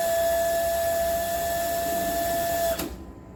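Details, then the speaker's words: Household water booster pump supplying house pipes hums steadily with flow hiss after water hammer fix; no pipe banging, normal operation without water hammer. "balikin lagi, ini normal, kondisi seperti biasa."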